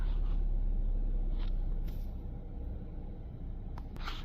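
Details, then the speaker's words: 2013 Mazda CX-5 with a push-button no-start, after replacing blown fuse #22 (C/U IG1): it starts right up and settles into a low, steady idle with no knocks or misses; normal idle. "And look at that. Starts right up. All the lights kind of disappear."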